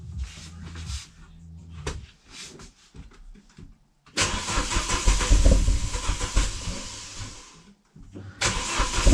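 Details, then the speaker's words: Renault Megane 2 RS (F4RT) on first cold start after fitting CLM Racing sport catalytic converter, full-tube exhaust behind: clean start then two sharp free revs rising and falling smoothly with deep even exhaust bark; sounds healthy. "On va faire un petit test. J'ai déjà écouté un petit peu, franchement, sympa."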